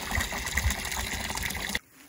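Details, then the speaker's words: New solar-powered bore pump with float switch, replacing an old windmill, on a hose outlet: strong, even gush of water splashing out without surging or sputtering, then cutting off; normal pump flow. "oh yes I don't know if you can hear this over the birds but that is the sound of running water"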